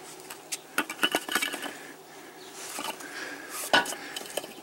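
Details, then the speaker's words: 2002 Chevy Silverado 5.3 catalytic converter, cut out and shaken: irregular metallic clinking from its loose broken inner substrate; computer showed the converter working fine but it rattled loudly, so it is replaced with a new one. "computer said it was working fine but it rattles"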